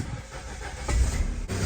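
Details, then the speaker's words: After repair: broken car exhaust pipe tack-welded with a Harbor Freight Titanium DC MIG welder, cracks sealed with sodium silicate and furnace cement. Engine catches and settles into a low, even, much quieter rumble with no puffing or ticking; normal sealed exhaust. "much quieter."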